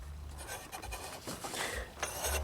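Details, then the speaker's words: 2008 Nissan Versa that stalled, with the belt off and the A/C clutch pulley locked solid: slow scraping rub as the compressor shaft is turned by hand, but it spins; clutch and pulley suspected rather than the compressor; A/C compressor shaft rubbing. "you can hear it rubbing but it does spin that is good news meaning the compressor hopefully is still fine if the shaft spins we just need to replace the clutch in the pulley itself"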